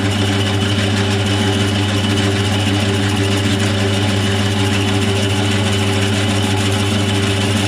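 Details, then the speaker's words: Lathe boring a face mill sleeve bore toward 25.38 mm: steady drone with a dull rough hiss and wavering mid tone; boring bar rubbing, finish poor; bar later replaced. "I'm not really happy with the surface finish that it's giving. It sounds like it's rubbing."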